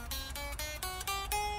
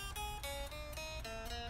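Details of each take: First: Fender 60s Road Worn Stratocaster after truss rod tightened, relief about 0.004 in at 17th fret, played low on neck: choked, thin chords with dry buzz; fret buzz from too little neck relief, needs loosening. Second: 2012 Fender 60s Road Worn Stratocaster after truss rod adjustment and action set to about 0.060: single plucked notes ring clear with clean sustain and no buzz, sounding good down low, mid-neck and all over.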